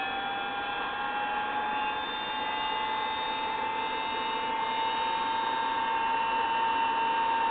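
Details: Collins airborne HF communications transmitter powered up (28 V and 140 V present, no high voltage): a loud, steady airy whir with a constant mid-pitched whine at an even speed. Noisy cooling blowers.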